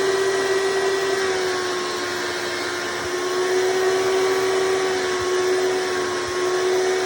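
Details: Hoover Elite vacuum owned since May 2024, bearings greased, after replacing the 7-blade fan impeller with a 20-blade upgrade: steady high-pitched whine over constant airy rush, no rattles or pitch wobble; noise reduced but still somewhat loud; normal running.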